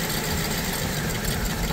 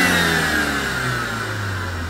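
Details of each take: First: BMW E87 120i with persistent misfire despite new coils and spark plugs, two injectors switched off for testing: lumpy, uneven, stumbling idle; misfire from injectors cut out, all injectors later found working. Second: BMW E87 120i petrol, 115k-mileage project car bought with engine issues: engine blipped with exhaust listened to, revs rising and falling cleanly with no stumble or popping; smooth revving, no longer misfiring.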